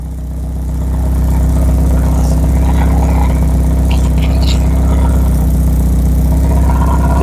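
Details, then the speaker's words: Porsche 944 that was stolen and dumped for a year in the woods, first start after electrical repairs: loud idle with a raspy chuff on each firing pulse from many exhaust leaks. Oil pressure and idle are good. "it lives the exhaust sounds horrible so many exhaust [Music]"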